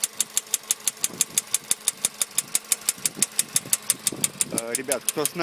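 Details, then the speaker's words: Late-2013 VW Polo sedan, CFNA 1.6, warm idle after warranty engine repair: sharp, evenly spaced ticking knock about three per second. Appeared about 75 km after the repair; origin unknown. "сейчас я запущу двигатель двигатель меня уже прогретый и уже сейчас слышен этот стук вот такого плана"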